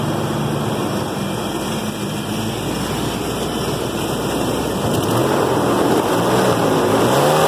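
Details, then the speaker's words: 1996 Ford Bronco V8 idling smoothly at about 1000 rpm after repair, previously under 1000; no buzz, knock or whine; owner blames the earlier buzzing on accelerating on the fan clutch. "okay so I just finished fixing my truck it runs good now it idle it idles at at 1000 rpms now"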